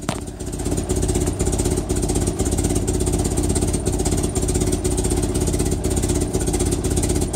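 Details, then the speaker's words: 1961 Land Rover Series II, cold with choke on, running rich, after new muffler fitted: sharp puffing tick about twice a second over a rough, loud idle; exhaust leak at the manifold joint. "all right she is running now well here that exhaust leak is pretty bad but now I can blow the leaves away without deafening myself"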